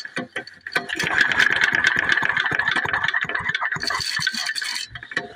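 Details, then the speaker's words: McCulloch H1500 1500 W portable generator with a 3 hp Briggs & Stratton engine, started on choke with gas and oil. It catches and settles into a fast, steady low-idle chatter with no misses or knocks. Normal idle. "all right so I've got gas in it it's got oil pull the choke all right we're on low idle here we go"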